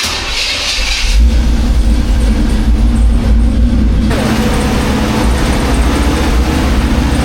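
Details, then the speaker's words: 1985 Chevy C10 cammed, new Holley 4160 Street Warrior 600 CFM electric-choke carb, complete cold start: catches after a second and settles into a steady, noticeably high idle; fast idle set too high. "start. Yeah, see that idle just sounds a little too high."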